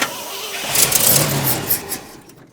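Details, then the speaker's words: 1972 Ford F250 with 66k miles, parked since 2007, with a rebuilt carburetor, new fuel pump and inline filter, switching between tanks: a short burst of starter cranking that never catches or picks up speed, then fades; cranks but will not start. "it's definitely doing something at least this time go ahead good good and then nothing again"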